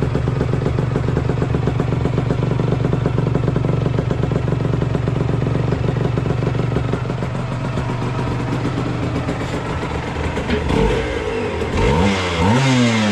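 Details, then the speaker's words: 1997 Aprilia RS 125 GS two-stroke in full-power trim: rough, popping idle about four beats a second, then sharp revs that crackle at the top; normal crackle with the power valve open. "On entend bien claquer là, avec la soupape ouverte."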